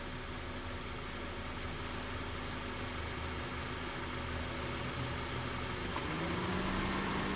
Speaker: you can hear the you're gonna hear the engine struggling it's going we're trying to kind of compress that uh refrigerant